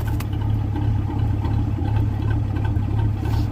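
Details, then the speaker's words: 1981 Ford Mustang, 200 inline-6, after a T5 manual swap and vacuum leaks fixed, heard from the exhaust at the back on a cold start: lumpy, loping choppy idle like a cam; cold idle settings being adjusted, cause unclear. "I mean, you can hear it out back though of how cold it is. And it kind of sounds like it's got a cam, right? Just how choppy it is."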